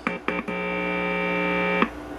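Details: Philco Butterfly Model 45 tube radio, in for no sound: a clean, steady tone holds over a second from the speaker without hum or crackle; the audio section works.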